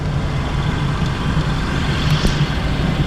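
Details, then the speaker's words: Used Hyundai Sonata New Rise with engine started, low even idle, steady rumble, quite quiet with no knocks, ticks or whine; normal idle. "차량 상태, 지금 엔진 소음 들어보시면 아시겠지만 상당히 조용해요. 지금 시동을 켠 상태거든요."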